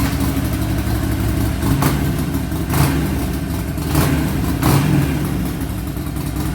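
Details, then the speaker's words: 2009 Harley-Davidson Forty-Eight 1200 XL Sportster restarted after an oil and primary change. Deep, lumpy V-twin idle with clean throttle blips that rise and settle, and no knocking or rattling. The engine runs healthy. "like a happy motorcycle to me. Oh yeah. Something sounds like a 74 cubic inch."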